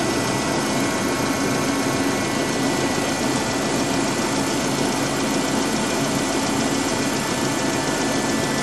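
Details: 2005 Dodge Neon after repair, oil and fuel still in two cylinders being burned off: dense steady idle holding an even note with no stumbles or misses; no misfire; normal idle.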